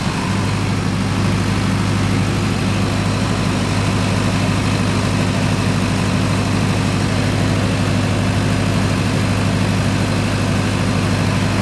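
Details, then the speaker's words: Newly commissioned 50 kW canopy-type generator running with the ATS complete and carrying a lift load during a lift test: strong even diesel drone, steady hum, constant beat, no knocks or surging; healthy. "এটা হচ্ছে আমার generator, এখন generator চলতেছে, ওকে লিফটের load আছে, lift test করতেছি, one test."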